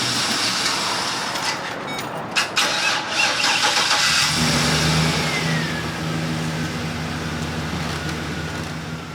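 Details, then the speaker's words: Van won't start right after an oil change and refuelling: several seconds of ragged cranking, slow to fire, then catches into an uneven idle; owner suspects a weak battery, planning to charge it and buy a new one. "just went and got an oil change for my van, and we stopped to get gas, and I filled up in gas, and now my van won't start."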